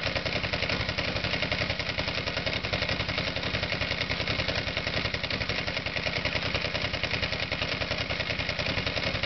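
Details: Ignition misfire on the right-side horizontal spark plug: spark grounds out at about the 5 o'clock position from the plug boot instead of firing through the plug, giving an uneven, lumpy running beat with sharp ticking clatter from the misfiring cylinder.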